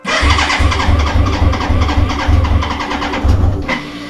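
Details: BMW K100 motorcycle after 22 years in storage, battery reconnected, choke tried: starter churns steady, even pulses about four seconds but never fires; long crank, no start.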